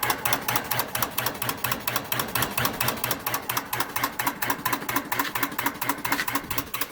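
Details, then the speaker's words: New 1 hp cast-iron booster pump with a full tank: rapid regular chatter about two clacks a second from the pressure switch (short cycling), before the pressure switch rewire. "So, problem I'm having, I've looked it up, and some people call it short cycling, other pressure switch chatter, and I just want to give you a quick demo. So it's going to pump up. When it's full, it will chatter."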